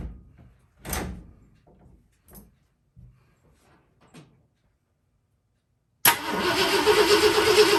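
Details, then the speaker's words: Engine being revived, newly wired, cranked before fuel hooked up: starter turns it over at a steady, even beat with no knocking, grinding or weird noises; oil later found way overfull; cranking healthy. "turns over i don't hear any weird noises let's see if we can get some some go juice hooked up to her see what she says"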